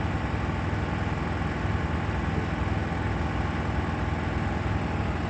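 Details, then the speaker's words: Miele WKG 130 WPS washing machine in spin mode: heavy low rumble with rhythmic thumping about three times a second, strong vibration through the whole machine and knocking from inside, typically from worn shock absorbers, fixed by replacing them. "in the spin mode strong vibrations are felt throughout the entire machine I'm trying to show them here because they are not clearly visible in the recorded video in addition to them there is a knocking noise from inside"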